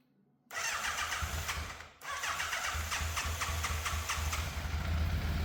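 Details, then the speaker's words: Fire-damaged Yamaha FZ750 four, 41,000 miles, choke confirmed off, idle hard to balance: starts into stumbling, uneven idle; misfire at idle, middle two exhausts cooler than outer two, cause suspected not confirmed. "The engine does sound like it's missing a little bit, and based on how much heat I can feel coming off some of the exhausts, the middle 2 exhausts, or the exhausts coming off the middle 2 cylinders are a bit cooler than the outer 2 now,"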